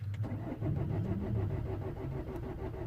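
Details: 2008 Vauxhall Corsa 1.3 CDTi (Z13DTH) diesel with intermittent no-start and no fault codes, ran two minutes earlier: short burst of uneven, low starter chugging with no catch; cranks but won't fire, airflow sensor reading zero.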